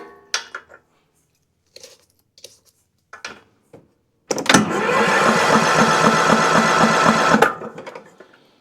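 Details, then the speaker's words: Cub Cadet CC30 H riding mower, MTD Power More engine, turns over but won't start: starter cranks steadily about four turns a second for three seconds without catching; no spark even with a swapped plug, either a safety killing spark or a bad ignition coil. "absolutely nothing no spark what that tells us here that is either one of the safeties is killing the spark or that we've got a bad ignition coil"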